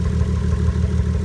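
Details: Nissan 240SX S13 with 1JZ swap, pre-drive check after a temporary fix: deep, lumpy idle with an uneven pulse and slight stumble in the beat; rough idle, cause suspected, not confirmed.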